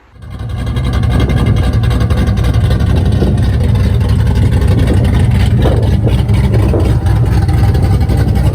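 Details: Corvette V8, rebuilt with a piston swap after hydrolocking from a hung injector and a rod knock, now gives a strong, even, steady roar with no knocking; healthy and pulling cleanly.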